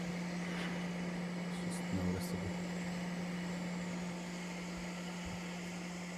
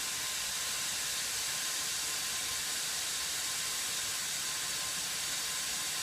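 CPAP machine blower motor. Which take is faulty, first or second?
first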